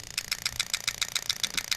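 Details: 1UZ-FE plug-and-play harness for a 89-91 Toyota Celsior, IS200 with J160, injector 3: crisp, sharp ticks about seven a second, perfectly even with a quiet background; injector opening and closing cleanly.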